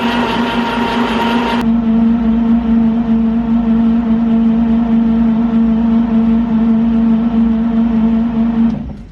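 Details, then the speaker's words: 1949 Chevrolet 3100 truck, unstarted for about 30 years: cranking on the starter with spark plugs removed so it spins freer and faster to build oil pressure; steady, fast, even whirring with no firing pulses. "Okay, so now that I've got the spark plugs out, I'm going to turn this engine over, and that will allow it to turn over more freely and a little faster, and I think it will build up some oil pressure at that point."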